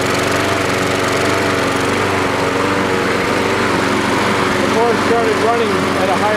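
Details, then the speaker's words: Troy-Bilt 12AV566N011 mower after float bowl and main jet cleaning: steady even buzz, no surging or misses; running properly, normal. "well it's run so good I decided to myself even an oil change"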